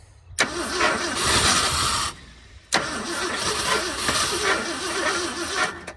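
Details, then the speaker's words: 1971 Ford first start in 27 years, after correcting distributor off by one tooth: two cranking bursts with starter whir and uneven firing never settling to idle, starving for fuel; then runs on a temporary gas tank. "Maybe she don't want to go."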